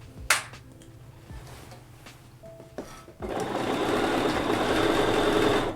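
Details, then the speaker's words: Sewing machine quilting at an even stitch pace with a faint high squeak riding on the needle rhythm, coming from the walking foot, which needs oil. "this little this little walking foot here it is squeaking it might need some oil usually a good sign that it needs oil"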